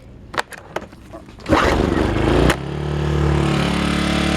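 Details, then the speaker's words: Earthquake IG800W inverter generator, after vacuum leaks fixed, eco off, no choke: a few pull-cord rasps, then it catches on one pull and settles into an even idle with no rod knock or rattle; normal start and idle. "one pull no choke one pull no choke no rod knock noise as you can hear no rattle"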